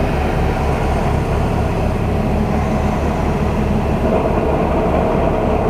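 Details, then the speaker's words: Truck in reverse, foot off the clutch, not moving: deep steady rhythmic rattle a few times a second over idle; driver suspects transmission or clutch failing. "my foot is completely off the clutch I'm not moving anywhere you can hear that rattling it's not good not good at all"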